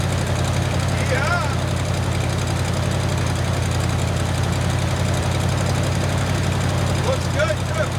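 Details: 1979 Ford F150 with modified 351 V8, new carburetor, fuel filter and fuel line, now running off the tank: even, deep, low rumble holding steady with no misses, knocks or hunting. Normal idle.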